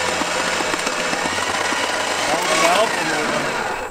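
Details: 1970 Plymouth Satellite abandoned and unmoved since the early 1980s, first crank in 35 years: steady rapid chattering of the starter spinning the engine, pace quickening slightly, no firing strokes; starter sounds rough; cranks but does not start.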